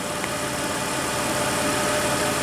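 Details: 2004 Toyota Tacoma V6, 5-speed 4WD, 260k miles, P2111 limp-home history: warm engine smooth even idle about 730 rpm, throttle position 14%, before throttle body cleaning, no misses, knocks or hunting; normal warm idle.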